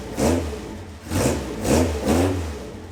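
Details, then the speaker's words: 27-year-old Caterham Super Seven 1600GT Sprint, stock muffler with the silencer insert removed: four quick throttle blips on a loud, raspy exhaust, each dropping back to a lumpy idle. The muffler's inner wool is burnt; an off fuel mixture or oil burning is suspected. "少しだけサイレンサーを外して音を聞いてみましょうか凄くうるさいのですがとてもいい音がしますよ"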